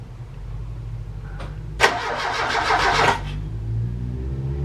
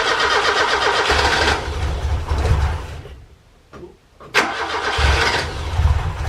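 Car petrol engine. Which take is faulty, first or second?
first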